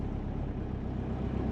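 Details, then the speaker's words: Subaru Forester on Haltech ECU, high idle near 2200–2500 rpm with a dull heavy rumble; AFR reads 10, running rich. "And look at the AFR. It's fat. 10. So, probably got a lot of fuel."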